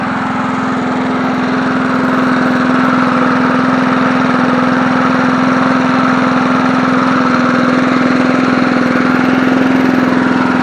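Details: 1980s John Deere NO20K push mower, original Champion spark plug reinstalled, deck tilted up, cranked and running: small single-cylinder at steady, even idle, no misses or knocks; smooth, healthy idle.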